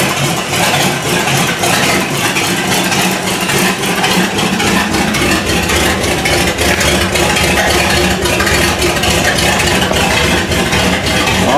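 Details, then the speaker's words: 1955 Buick V8 started after six months, after new points and condenser fixed inconsistent spark, checking oil pressure and coolant temp gauges before dash install: loud but even idle, steady exhaust pulses, no stumbling or dying; starts right up, runs well. "It starts right up and runs good."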